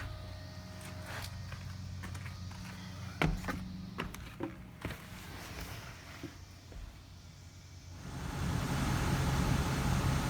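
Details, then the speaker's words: 2016 Nissan Titan XD Cummins diesel after a fuel filter change, primed twice: a few clicks, brief crank, fires and holds a steady smooth idle. Normal start. "so we primed it twice and cranked it up started right up"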